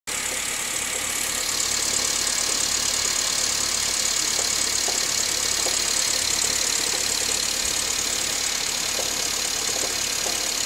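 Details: 2005 Honda City VTEC, L15A petrol engine idling with a faint, uneven knock; knocking occurs when the aircon compressor is switched off and disappears when the aircon clutch engages.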